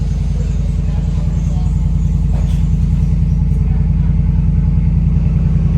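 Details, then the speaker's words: 2014 Ford F-150 at dealership, cold start with a little smoke: loud, heavy idle with steady thump two or three times a second, rough and shaky; cause unknown, buyer suspects aftermarket exhaust. "oh we had a little smoke come out there let me see if it's a cold start this one kind of loud"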